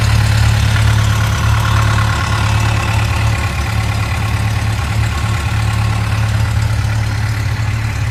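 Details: 2006 Yamaha FJR1300 idling after warm-up: a light, fairly regular ticking about four times a second.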